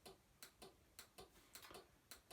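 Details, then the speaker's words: AntiNano bucket air-coil pulser just switched on via extension cord: crisp ticks in quick pairs, about three or four a second, in a quiet room; the relay inside the box switching on and off normally to create the pulses. "one can immediately hear the ticking sound inside the box which is the relay switching on and off"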